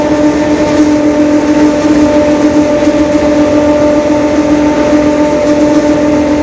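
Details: 2021 Marcopolo Torino S lengthened city bus on a Mercedes-Benz OF-1721 Bluetec 5 diesel chassis, recorded while moving. A steady fixed-pitch hum sits over the drivetrain noise: a growling differential.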